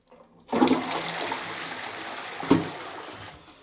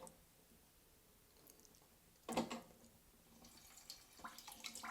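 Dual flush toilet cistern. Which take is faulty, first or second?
second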